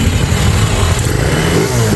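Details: Idling with the belt off and pulley fitted, starter bendix reinstalled: loud, rough idle with gritty grinding from the bendix rubbing the flywheel, not the big flywheel bearing; pressing push start turns the flywheel and the noise stops.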